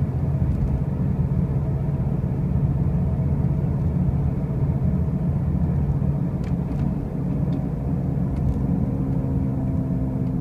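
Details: 2005 Pontiac Grand Prix with brand-new wheel bearings and new tires makes a loud, heavy low rumble and drone over road noise while driving, steady with no clear rhythm; the source is unknown.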